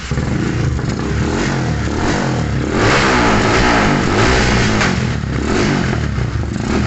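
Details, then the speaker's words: Modified Yamaha Scorpio, hard to start and stalling, new spark plug fitted after old one found black: rough hunting idle with fast tek-tek ticking; mechanic suspects cylinder wall leakage letting oil burn and foul the plug. "sehingga terlihat dari mesin hidupnya pun ngeletek tek tek tek tek tek itu teman-teman ya tek tetek sehingga pun sudah pasti sudah dipastikan terjadi Jadi ke kebocoran di mesin dan menjadikan menjadikan uli masker bakar dan seperti tadi pun mati."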